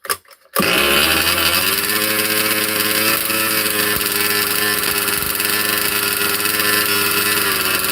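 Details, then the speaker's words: Cold 2-stroke engine in a 30 Degrees North 5th-scale RC truck, unrun for 2–3 weeks, started without choke: high buzzy note catches straight away and settles to a steady, even run with no misfire or stumble; healthy. "So, started without a choke. She's cold. Hasn't been run for about 2 3 weeks."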